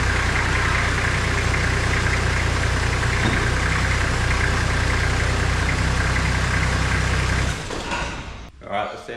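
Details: Toyota Landcruiser HZJ75 diesel after power steering pump replacement, refill and bleeding, wheels on the ground: steady, even idle with a smooth low drone and no whine or grinding from the pump; sounds healthy.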